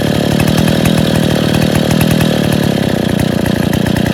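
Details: Rebuilt Stihl 070 chainsaw on first run after bottom-end reassembly (new seal; choke and clutch still to fix, no cover or bar) settles into a fast, even popping two-stroke idle with steady firing, no stumbling: normal idle.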